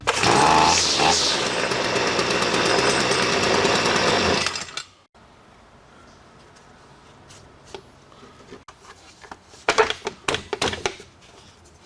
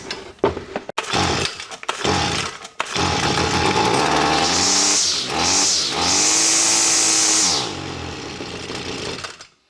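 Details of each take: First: STIHL FS45C trimmer unused about 6 years, after carb clean, carb kit, new primer, fuel filter and fresh fuel: screams up to steady, even high revs with no stumbling, then shuts off cleanly; runs like new. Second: Stihl FS45C trimmer unused about 5–6 years, fire and compression good, primed with two-cycle fuel: several pulls, catches and revs high about three seconds then sags and dies once primer burns off; won't pull fuel, carburetor fault.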